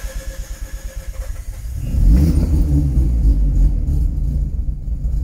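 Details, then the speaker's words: Mazda RX8 with bridgeported rotary engine, restarted after battery disconnect, before warming up: couple of seconds cranking, then catches and holds a lumpy but steady rotary idle without throttle; normal idle. "so as you can hear that I'm now hands and legs free I'm not doing anything and basically that was that's absolutely fine"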